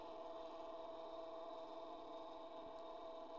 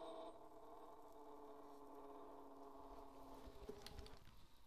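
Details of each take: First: Edison Home phonograph motor: steady thin mid-pitched whine from dry governor felts, going quiet once STP is applied to the gears; governor needs lubrication. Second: Edison Home phonograph spring motor after oiling the governor felts and applying STP to the gears: faint even hum with no whine left; quiet running, well lubricated.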